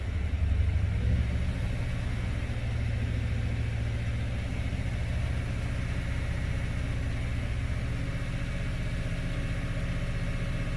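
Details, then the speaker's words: 2012 Toyota Tundra V8 just after intake cleaning for code P1604, check engine light flashing: deep idle with an uneven loping pulse and occasional stumble; misfire suspected from intake manifold buildup, expected to clear as it warms. "All right, check engine light is flashing right now, and that was to be expected because it is probably misfiring because of the buildup of stuff in the intake manifold."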